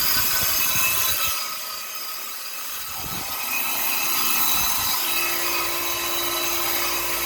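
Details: Copeland compressor making noise and cutting off: harsh hissing, rattling run with a rough buzz fading as it cuts out while the fan keeps running; abnormal compressor noise.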